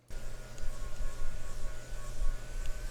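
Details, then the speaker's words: AYN Thor handheld, cooling fan running while the device is moved: a steady high buzz over a low hum, wavering with movement, like the fan hitting or vibrating in its housing. The noise disappears with the fan outside the device; the attempted fix failed. "It kind of sounds like a lightsaber or something, like the fan is hitting or vibrating or something like that."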